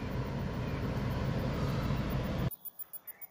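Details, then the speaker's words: Citroen C4/DS4 1.6 HDi diesel after fuel rail pressure sensor replacement (was crank-no-start, P0192), DPF warning still present; steady even idle clatter for seconds, no knocks or misses, then shut off; running nicely. "so I said the car is all running nicely now and uh we'll get a book back in for the DPF if need be"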